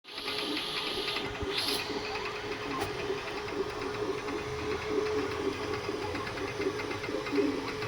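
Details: Creality K2 Plus 3D printer, about a week of use, firmware updated 2025-05-01, printing unusually slowly (owner unsure if print setting is why): fast, even chattering over a steady mid-pitched hum; owner thinks it sounds different than before, cause unknown.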